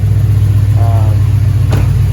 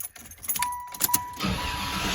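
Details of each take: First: Impala SS LT1 350 V8 after idle air control valve replacement, restarted warmer: low, steady rumble with no hunting or stumbling, idling down; clean settled warm idle, sounds better than before. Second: Impala SS LT1 350 V8, first start after idle air control valve replacement and a week sitting: chimes, short crank, catches to a steady even but high idle around 1500 rpm; tachometer may be off, cause unconfirmed.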